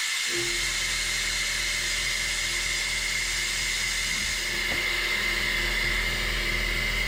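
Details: 2016 Ram 3500 dually, 6.7 high-output diesel, during a Water Wetter coolant exchange: the air-driven coolant evacuator gives a steady hiss with a thin high whistle as it pulls vacuum on the cooling system, collapsing the radiator hoses; working normally.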